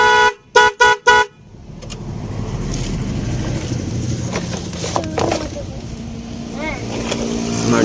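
Three short, clean blasts of a twin horn, steady loud tone each press, then street traffic; horn circuit working properly.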